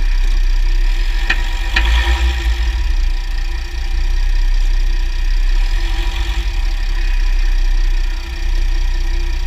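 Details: 2009 Jeep Grand Cherokee WK, 3.0 CRD diesel, Quadra-Trac II, GoPro on skid plate: steady low diesel drone with sharp metallic clicks early; clunk on drivetrain load changes; driveshafts ok, front diff bushes and transfer case oil already done; cause unknown.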